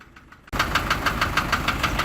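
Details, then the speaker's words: Isuzu light truck diesel at idle, right after starting: sharp even tick about six per second, continuous since about a month; source unknown, engine block appears to seep oil. "اول ما بندور السياره بنسمع الصوت ده، والصوت بيستمر على طول ما بيقطعش."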